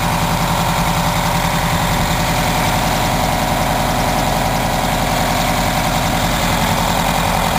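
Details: 1987 Wanderlodge PT40 rear-engine 8V92TA Detroit two-stroke diesel, after a cold start following about 5 months sitting, camera mic outside and overwhelmed: a loud, dense, steady roar with a fast even beat under revs and no knocks or misses; running strong.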